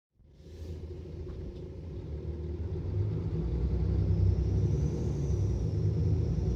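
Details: Mercedes Citaro O530 LE bus, OM457 hLA EEV diesel, full kickdown: deep diesel roar under hard acceleration with a thin high whistle rising above, turbo whine abnormally loud for these engines.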